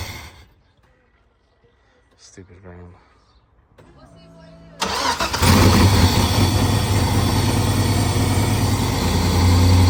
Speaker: this sounds like shit because it has an exhaust leak obviously, but we're gonna weld this back up and it should be okay.